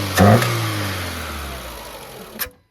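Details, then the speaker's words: Renault Clio with head gasket fault, one cylinder deliberately disabled: short rev blip falls back with uneven coughing note, then cuts out; misfire running on three cylinders, still starts instantly. "Déjà, elle tousse un petit peu avec 3 cylindres. Là, j'ai 3 cylindres."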